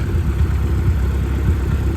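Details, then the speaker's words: Mazdaspeed 3, following test drive at about 16 psi boost with good AFRs: low even hum, no stumbles; engine somewhat worn but not burning oil or smoking, no longer running rough; smooth idle. "Now it's not running rough anymore."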